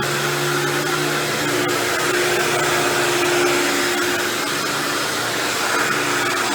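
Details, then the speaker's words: Dirt Devil Deluxe 8201 upright vacuum running with a fresh belt: steady roar with rough, scratchy grinding and faint ticks from the brushroll, confirmed as brushroll not motor when run with the vacuum apart. "you hear that grinding noise you're hearing I'm lying down is actually just the brushroll"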